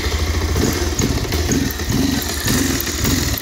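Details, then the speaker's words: Bajaj Pulsar 220 BS6, about 1.5–2 years old, after a no-start wiring repair. The idle is lumpy and stumbling, misfiring because the second spark plug is not fitted and it runs on the main plug only. "Missing అవుతుంది కదా friends ఎందుకంటే నేను ఇటు పక్క మనకి ఏదైతే plug ఇంకోటి పెట్టలేదు మనకి మెయిన్ ప్లగ్ తో రన్ అవుతుంది"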